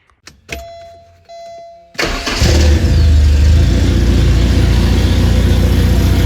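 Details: 1985 Porsche 944 four-cylinder after replacing a failed DME relay that caused a no-start: key-on chimes, then it catches quickly and holds a smooth, even idle with a steady low beat; runs right.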